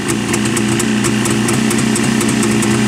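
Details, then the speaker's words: Jawa two-stroke motorcycle just started, with even crisp popping at a steady idle of about four beats a second. The soft hiss from the carburettor is normal when everything in the cylinder and piston is set up right; it runs sweetly. "Вот, видите, завелся. Как приятно, да? И вот это вот шипение, это происходит в самом карбюраторе тогда, когда все правильно, в поршневой все организовано."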